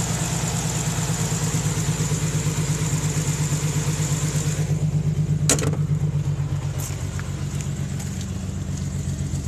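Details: 1992 Nissan 300ZX NA V6 at idle: lumpy, uneven beat, a steady stumble of roughly four thumps a second, from a bad misfire; cause unknown.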